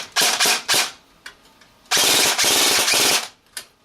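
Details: G&G AK-47 airsoft with home-built MOSFET, tested on a 1600 mAh NiMH battery: sharp, even rapid-fire bursts, two short then a long string, with no hesitation or grinding; gearbox cycling cleanly.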